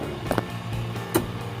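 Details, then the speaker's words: LG manual single-tube washing machine, motor gives a steady low electrical hum and buzz but the pulsator will not spin; owner plans to check the dynamo, gearbox and panel. "-friend pulsator on a one-tube washing machine here he doesn't want to spin but on the locking dynamo here there is a sound Vibration or buzzing, friends can hear it"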